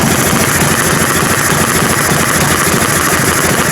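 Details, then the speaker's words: Harley FLT Electra Glide Evo with new pistons and rings and an early 40mm Mikuni flat-slide carb, just started on choke in neutral. A loping V-twin idle with a light quick tick from the carb side: normal flat-slide movement. "if you've got a McKinney and you hear a bit of a ticker noise from this side of the engine that's your flat slide going backwards and forwards"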